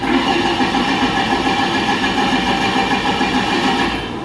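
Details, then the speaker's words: Ford, spark plug removed to check spark: steady starter cranking about three and a half turns per second, never firing; crank-no-start with no spark, crank/cam (VRS) sensor signal under investigation. "then crank it jimmy all right as you can see no spark"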